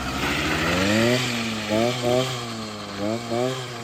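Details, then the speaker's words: Motorized bicycle with a 66cc two-stroke engine, first run after sitting three years. A raspy chainsaw-like buzz rises and falls cleanly with each throttle blip and picks up without hesitation: running normally. "Sounds like a chainsaw. You'll do strokes. He's fun."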